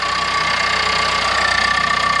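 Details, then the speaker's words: 2022 Ford Explorer Timberline 2.3L EcoBoost with Whipple upgrade, hood open at idle: fast even loud ticking under steady whine from GDI high-pressure fuel pump (under cover sock); normal, just loud. "That's loud, though. And they even have like a little thing over it. A little sock."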